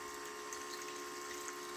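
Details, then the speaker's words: Aftermarket bilge pump fitted to a new Argo 8x8, emptying water: steady, even motor whir with rushing water, no surging or rattles; normal running. "that's working pretty well"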